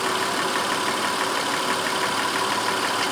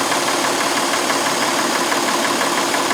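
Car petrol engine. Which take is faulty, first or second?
second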